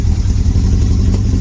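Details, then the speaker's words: Motorcycle engine not run for a long time, first start with air filter removed, running rough: low, lumpy, uneven idle that stumbles as one cylinder isn't firing yet and keeps trying to come in; cylinder misfire. "Yeah, struggling. It'll go though. You'll hear that other cylinder trying to come in."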